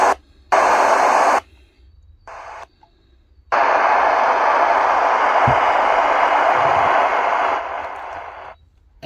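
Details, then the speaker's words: Sony ICF-SW30 shortwave radio, audio adequate but no capacitor fault; loud hiss cuts in and out with no station locking in; failed crystal diode in the oscillator circuit, possibly blown by external antenna near a strong local station. "this radio has a enough audio but cannot tune the station and this one doesn't have a capacitor problem it has a crystal diode in the oscillator on on the in the oscillator circuit"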